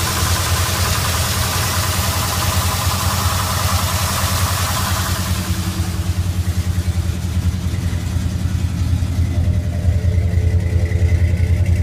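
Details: 1973 Ford F100, 302 V8 with Holley 4160 carburetor: rapid, fairly regular tapping about three to four per second over a deep idle that rises slightly; abnormal engine noise, cause unclear.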